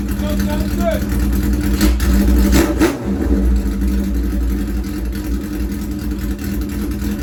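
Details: Harley-Davidson Shovelhead chopper just started cold on choke: deep loping V-twin holds a steady idle after a brief throttle blip, no knocks or misses; starts and sounds good.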